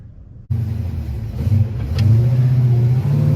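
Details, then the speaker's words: 1955 Chevy Bel Air with an Edelbrock AFB-style carburetor, before repair: the engine revs, then the note sags and stutters briefly off the line before picking up; bad flat spot; accelerator pump fault causing stumble. "the car's got a real bad flat spot or a stumble off the line and I'll go ahead and show you the video right"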